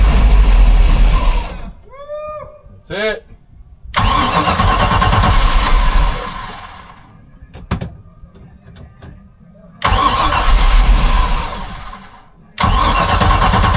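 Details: 1978 Sea Ray 24 ft boat, MerCruiser 383 Mag Stroker, on new batteries: long stretches of steady cranking, about two beats a second, never catching. Long crank, no start; the gas was bad, it needed a new carburetor, and a small fire broke out.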